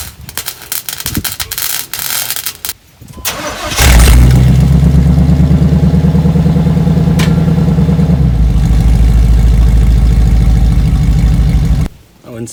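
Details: 1991 Chevy Suburban large petrol engine cranks, catches, settles into steady deep idle with no exhaust rattle after welding two touching exhaust pipes that had rattled and shaken the whole SUV.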